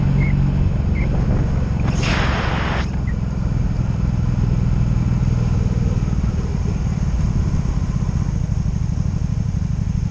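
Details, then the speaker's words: 2002 Honda Magna VF750C, warmed up, at steady speed on its first non-stop test ride after it previously died in gear: even, unbroken low drone with no misses, ignition cuts, bucking or surging; smooth running. "Ladies and gentlemen, that was going to be the test run for the first time ever on this bike with it running non-stop. That means no ignition cuts, no bucking, no nothing, just it ran good."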